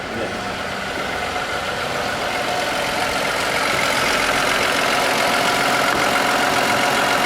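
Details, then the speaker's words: Toyota Aurion with oil light on, buzzing and rattling from the engine, oil clean: loud steady whirring over the idle that builds slightly; muck inside, oil pump starving through a clogged pickup screen. "She's got some muck in there."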